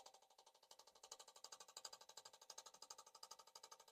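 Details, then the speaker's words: Autool CT150 injector cleaner/tester fitted with a bigger Aeromotive pump, priming racecar injectors; rapid even clicking as injectors pulse, but one injector isn't firing, stuck closed (sticky), and later comes back on. "Huh. Well, that injector's dead. Maybe it'll come back around."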